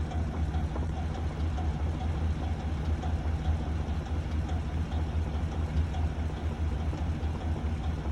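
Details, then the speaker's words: 2015 Chevrolet Silverado 2500HD bought as a wrecked non-runner, idling warm with the microphone on the loudest side. A deep, uneven rumble carries a clunk and tick about twice a second, and the truck shakes. The previous owner said the engine is bad. "We let the truck warm up right now, and on this side, you can hear the most of the sound. It's like a clunk and a tick."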